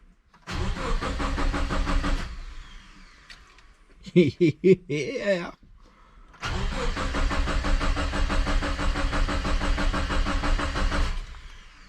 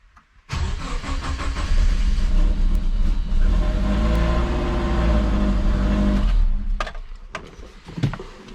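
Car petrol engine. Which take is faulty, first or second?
first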